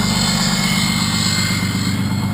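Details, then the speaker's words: First-gen 6.2 liter Cummins, 24-valve with VE injection, heard from the cab: deep steady diesel drone with loud even jet-like roar, no knocks; exhaust brake working normally with strong braking. "Sounds like a jet engine, I'd say. From in the cab. Big difference, and it's got extremely awesome braking power, really awesome."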